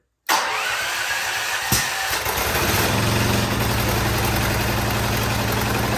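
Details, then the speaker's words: Firman T07571 generator on regular gas, on choke, brought in running rough with white smoke, spark arrestor caked with carbon from rich running: catches after short crank, settles into uneven, lumpy idle; restricted exhaust suspected. "yeah, it's gonna run like crap. All right, now let's try to start it up and see how it sounds."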